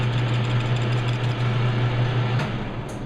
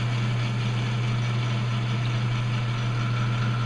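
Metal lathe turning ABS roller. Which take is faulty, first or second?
first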